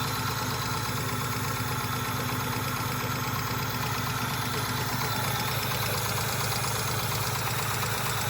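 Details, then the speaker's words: Engine misfiring badly at uneven idle with a repeating light tap about two a second; doesn't sound like rod knock, more like a lifter or possibly injector tick; misfire definite, tick cause unconfirmed. "it really doesn't sound like rod knock. That sounds like lifter though."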